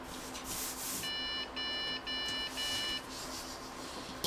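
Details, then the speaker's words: Budget gaming PC at first power-up with the GPU fed only a 6-pin cable: long, high error beeps over quiet fan noise, with no display; owner suspects the board detects the missing 8-pin GPU power connection. "what is that three beeps does that mean it's about to explode"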